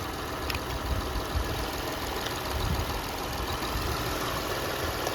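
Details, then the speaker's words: 2006 Toyota Highlander 3.3L after water pump replacement, warming up with new radiator cap, checking timing belt tracking: even steady idle, smooth low rumble, no knocks or squeals; looks and sounds good, normal idle. "Let her warm up. Make sure that timing belt's tracking like it should. Looks good, sounds good."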